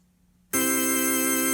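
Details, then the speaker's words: 1960s Vox Jaguar organ after replacing six electrolytic capacitors: after a moment of silence a full steady chord sounds cleanly, no crackle, hum or dropout, before switching vibrato on. "i've replaced one two three four five six electrolytic capacitors with new and sounds good i'm gonna turn on the vibrato"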